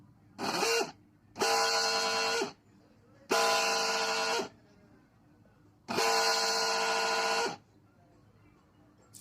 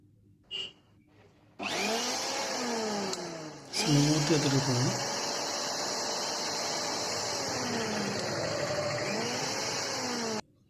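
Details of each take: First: Mixer grinder motor run in four short bursts, loud harsh high whine from a worn bush bearing with excessive play, bush turning with the shaft, before bush replacement. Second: Mixer grinder motor after bush replacement and end-play adjustment (shaft was turning in worn bush); steady even high whirr with no rubbing or rattle, quieter than before, running normally.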